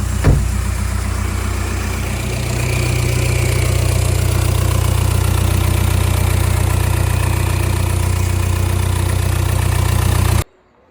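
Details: MK5 Golf after BXE to ASZ/ARL diesel engine conversion, first start with exhaust off: loud, steady unmuffled diesel clatter at an even idle after a clean start, no misses or surging; healthy running.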